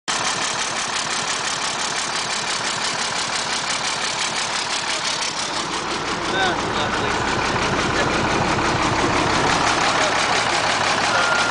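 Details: International DT466E diesel in a Crown by Carpenter school bus idling with a sharp, steady puffing tick about three a second from an exhaust leak.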